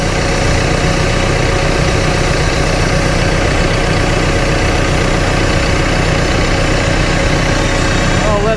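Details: Cat TL1055C telehandler diesel after replacing failed turbo with damaged compressor shaft seals, warming up while checked for leaks; steady idle, even low chug, no knocks or whistles; normal idle.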